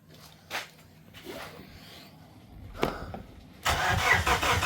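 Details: Plymouth Neon that sat at least 8 years, trying to start it: a quiet stretch with a few knocks, then a loud steady churn of the starter spinning the engine over without ever catching; cranks, won't start.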